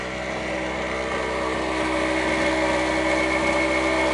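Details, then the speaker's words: Chinese two-stroke generator, a clone of the Yamaha ET650/950 rated 1250 W, after starter replacement, running with a battery charger on at 10 amps: steady even buzzing drone at constant speed, no misses or surging. "all right so there she is running the new starter on there"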